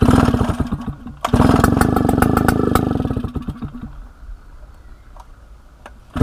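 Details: 1960s Solo 626 (60126) 70cc two-stroke chainsaw after sitting for years, first start before fuel system and carburetor service: barks into life with crisp rapid firing, revs cleanly, drops back and dies; runs strong.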